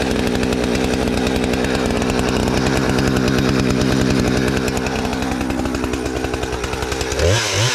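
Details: Husqvarna 455 Rancher chainsaw, sat for years and previously died on throttle, tested on a downed tree after carburetor and fuel line repair and chain sharpening: strong, steady high-revving buzz through the cut, revs fall off cleanly; healthy under load, no fuel issues.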